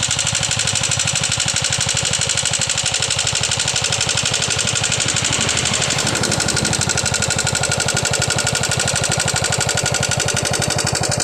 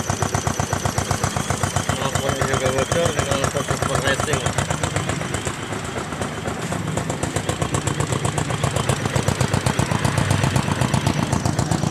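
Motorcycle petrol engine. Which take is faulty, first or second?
first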